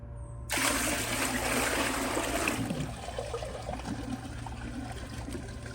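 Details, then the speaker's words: Glacier Bay PowerFlush toilet, tank emptied, bucket of water poured into bowl: rush fades to thin trickle and drain with no pull-through; bucket flush fails to siphon however much water is poured. "so as all can see no matter how much water i pour into it it will not siphon"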